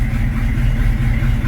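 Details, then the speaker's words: 1976 Dodge Ramcharger that wouldn't crank, started after replacing a bad starter relay and cleaning the wires. Deep, steady, even idle rumble with no misses, knocks or hunting. Normal idle. "should uh crank a lot better now with the new starter relay"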